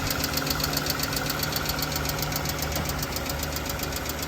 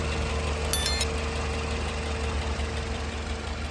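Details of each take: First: Toyota Camry 2AZ-FE 2.4L petrol engine idling with a quick, steady light tick-tick from the top of the engine, typical of worn valve tappets; more evident when accelerator is blipped. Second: Toyota Camry with 2AZ-FE 2.4L petrol engine, a second healthy car of the same model used for comparison, idling. Steady, even idle with a smooth low hum and no ticking, normal sound; the ticking in the other car comes from damaged tappet (valve) cups.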